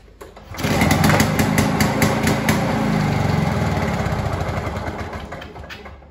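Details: Discarded Victa Commando 2-stroke lawnmower, test start after restoration and minor engine servicing: engine catches within a second and settles into a steady, even two-stroke buzz with no misses or knocks; healthy running.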